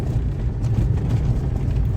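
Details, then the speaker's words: Lada Kalina on test drive over stones after steering column repair (washer in electric power steering fixed): only low road rumble, no knocks or crunches from the steering; normal. "Поставили, все собрали. Як бачите, не стучить руль. Помогла нам та шайбочка."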